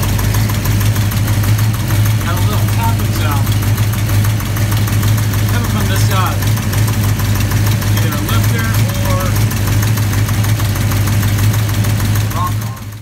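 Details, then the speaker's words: V8 idling just after first start: light, irregular tapping over a steady idle; owner suspects a rocker arm hitting the valve cover, a loose rocker or lifter, or a bad lifter. "once i got it fired up i heard i hear some tapping on is either a lifter hitting the valve cover or lifter loose or i mean a rocker arm loose or a rocker arm hitting the valve cover or a bad lifter or something going on"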